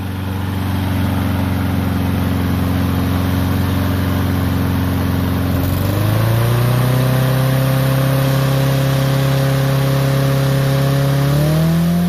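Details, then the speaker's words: Troy-Bilt mower with Honda engine, first start after carburetor cleaning and draining water-contaminated fuel, fresh gas: starts right away, steady drone stepping up in revs twice, smooth and even; RPM high, owner says it needs adjusting. "Moment of the truth. Right away. High RPM, we should adjust it."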